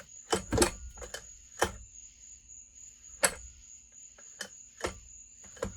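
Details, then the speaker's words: McCulloch Super Pro 125 chainsaw turned over by hand: sharp, irregular metallic clicks and clunks, with screeching noted earlier; owner suspects a bearing going out or a loose spring; metallic clunk, cause unknown. "I don't think it's fully cut but you can kind of hear some clunking he that CL already hold on you hear that little metallic clunk right"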